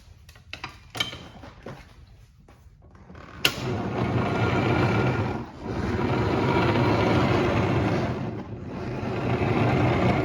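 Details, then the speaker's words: 2020 Yamaha Raptor 90 ATV pushed in gear: faint tire squeaks, then loud continuous gravelly grinding from the transmission; bearings corroded by water entering via the breather hose, replaced. "See, it should not be making that grinding noise. That sounds like a bad bearing inside the transmission."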